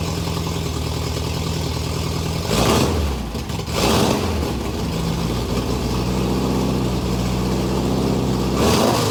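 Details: Porsche flat-four with megaphone exhaust, will-it-start check: steady, even idle with two clean throttle blips rising and settling smoothly; starts and runs healthy.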